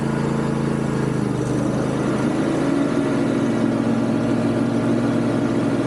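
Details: Yard Machines MTD riding mower, deck belt had kept jumping off: loud steady drone with hard-edged hum over the engine once blades engage, burning smell, belt wearing; bad deck spindle bearings needing replacement.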